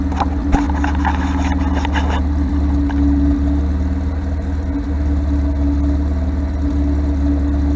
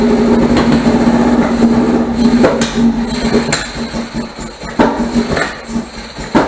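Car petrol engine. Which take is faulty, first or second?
second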